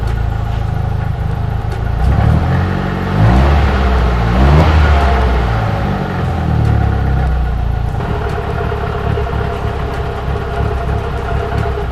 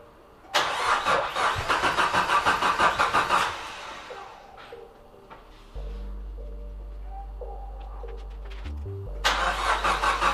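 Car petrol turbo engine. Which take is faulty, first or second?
second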